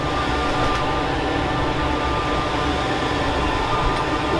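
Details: Newly installed diesel blown-air heater, backup to wood burner, after start-up: steady even whooshing roar, no surging or knocking; firing and running normally.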